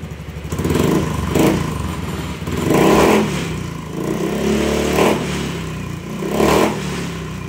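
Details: Honda Beat scooter after new ECU installed and initialised (previously bogging intermittently; an error 7 was read and the throttle cable was frayed and replaced): engine blips up in repeated clean bursts about every second and a half, picking up smoothly without stumbling; normal revving.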